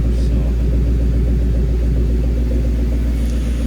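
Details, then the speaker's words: 1997 Ford Mustang SVT Cobra V8 after cleaning MAF sensor, new spark plugs and air filter: deep, steady rumble with even pulsing, no misses or knocks; owner thinks it sounds better, possibly placebo. "I didn't take it out on the street and see that see how it goes runs sounds it sounds better I don't know if it's system placebo effect but it does sound better"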